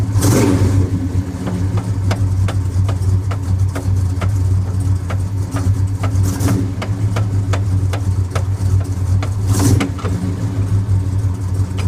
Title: 3.23 gears making noise.